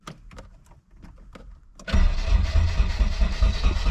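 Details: Nissan S13 240SX: a few clicks then heavy low churning as it cranks steadily without catching; distributor timing set past cylinder one, fuel pump also not priming.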